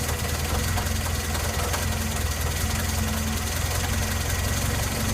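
Steady idle with a light, regular knocking riding over the low rumble; a clear engine knock, origin not pinned down.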